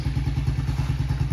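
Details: Yamaha TTR90 small single that fired right up after the fuel line was cleaned and fuel reached the bowl: quick even thumping at steady idle, about seven beats a second, no misses or rattles; normal idle.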